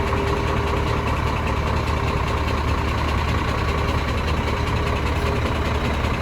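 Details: Scania DC13 truck diesel at heavy idle with an uneven knock about once a second over the clatter, traced to cylinder 5 (camshaft or conrod first suspected). Cause: loose rocker arms from a broken retainer on one cylinder.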